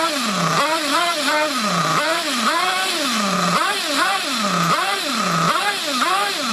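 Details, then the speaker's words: Trophy buggy engine that previous owner couldn't get running, after adjusting low speed needle: high buzzing note swooping up and sagging every second instead of steady tick-over; unstable idle, owner suspects low speed needle lean or slightly rich, unconfirmed. "Still ticking over a bit. Oh, no. It's dropping down a bit."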